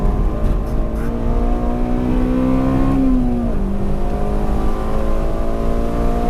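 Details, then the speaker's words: Honda Civic Si on track at Streets of Willow Springs on Koni shocks, Tein S-Tech lowering springs and 225/45R17 Nexen SUR4G tires that run wider than quoted, stock engine: steady engine drone with rough rubbing as tires scrub the fender liners, worst at the rear. "well, I was rubbing very, very badly, as you'll hear on all the track footage."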